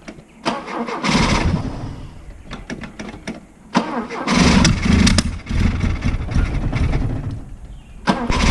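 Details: Freshly rebuilt Opel GT 1.9L, which ran fine on a test stand months earlier, with timing, carburetor, valve lash and points checked and compression about 140: repeated cranking bursts catch briefly and die with uneven stumbling. Hard starting.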